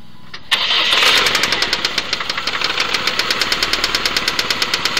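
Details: Saturn SL2 engine knock: right after start-up, sharp regular ticking knocks at about seven per second, fairly even throughout; cause not pinned down.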